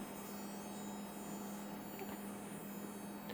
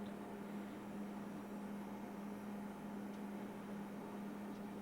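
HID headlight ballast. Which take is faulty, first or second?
first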